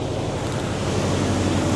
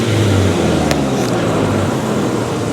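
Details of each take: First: 1996 Mazda/Ford Ranger B2300 pickup at idle, AC switched off, after long parking: uneven, lumpy idle with low irregular thumps and shaking; exhaust leak present, but the main fault is a dead cylinder, suspected number one, from low compression. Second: 1996 Mazda B2300 / Ford Ranger pickup, restarted after cooling about an hour, with a new fuel filter just fitted; steady idle with a brief rev blip, no stumble, running much better: normal idle.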